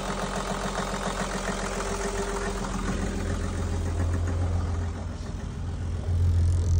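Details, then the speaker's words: Perkins marine diesel just restarted after lift pump replacement and fuel bleeding: low idle with a light, slightly uneven knock of about three or four per second, from a little air still in the fuel system; no smoke. "that knocking a little bit of knocking there that's just a little bit of air still left in"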